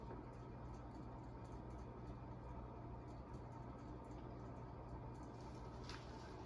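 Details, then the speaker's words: TAT UFO 36-inch ceiling fan on medium speed: quiet hum with faint steady dry ticking about four a second; bearings sound a little rough, suspected not confirmed; wind chimes may be audible outside. "you can now hear the bearings a little bit I think yeah bearings are a little rough on this fan"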